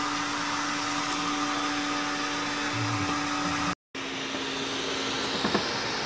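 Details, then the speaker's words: Sanyo POWERbot R9000 robot vacuum after over three years of use: steady, even motor whir at constant pitch with only a faint flutter; running normally, no dragging or jamming. "can almost tell from the sound that it's running okay. A little flutter in there,"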